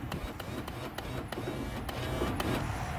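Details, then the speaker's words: 1997–2001 Honda Prelude (5th gen BB6) power window with key on: quick rattling clicks over low motor drone, glass not moving; regulator suspected broken and replaced. Window motor runs, glass not moving. "I can't see nothing it seems to be working but something's just not right with it all right so we're just gonna go ahead and replace it since I got one"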